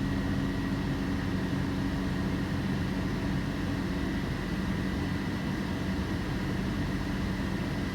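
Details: 2007 Toyota Tacoma, engine running with AC and headlights on: thin steady whine over engine hum when accelerating; battery 12.4 V engine off but charging voltage drops below 12 V under load, pointing to a failing alternator.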